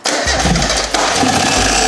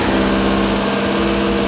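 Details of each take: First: Rebuilt 30-year-old Mazda Miata engine running, checked by stethoscope near the timing cover, which has a brand-new water pump; steady high whine with light scraping over the firing beat, from a failing timing-belt water pump or idler bearing. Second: Mazda Miata 30-year-old rebuilt engine, run briefly with timing cover off after new timing component kit fitted: steady, even idle with smooth hum, no tick or knock; earlier timing-cover noise is gone after the repair.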